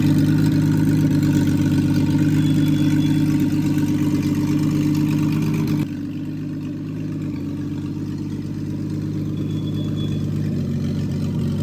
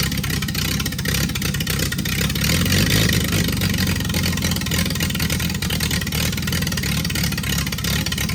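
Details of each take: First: Freshly rebuilt Triumph TR6 six, head shaved 60 thou (about 8.4–8.5:1 compression), after first start, warmed up, chokes off, distributor slightly adjusted: even, steady idle with smooth low hum, no misses, knocks or hunting; normal warm idle. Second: Freshly rebuilt Triumph TR6 six started cold, on chokes, carbs not yet adjusted; runs loud and uneven with beats wandering instead of settling to a steady idle. Runs well once warm with chokes off.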